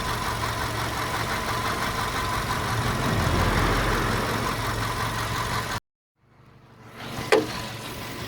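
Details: VW Golf 5 at even idle with a light clacking knock, roughly three a second, steady against the engine hum; engine knock at idle, source unclear.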